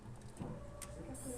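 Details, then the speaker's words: 302 V8 that will not start: a faint steady whirring hum comes in as the electric fuel pump switches on and fuel is heard being pumped; pump running. "fuel pump qes on and you can hear fuel being pumped"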